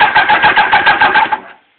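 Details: 1992 Kawasaki ZX-7: starter spins the engine at an even eight beats a second for about a second and a half, never fires, then stops; cranks, no start.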